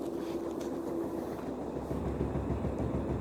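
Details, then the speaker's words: Kenmore 100 series HE washer after new suspension rods: low spin rumble with slight hum and faint light tapping about three a second, seemingly tub hitting metal on the right; off-balance cause suspected, unconfirmed. "there's still a tap i don't know if there's supposed to be that much movement as far as the tub goes but as you can hear i mean it sounds like it's tapping the metal over here to the right"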